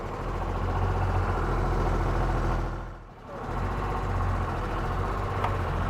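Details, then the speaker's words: Cummins-diesel Land Rover 130 on first drive in a while with a new P38 steering box: deep, steady diesel drone under way, smooth and even with a brief dip as load eases and the compressor cuts in; sounds healthy. "Let's spin around the block and just see how she feels with it with a new P38 steering box. Love that sound. There goes the compressor."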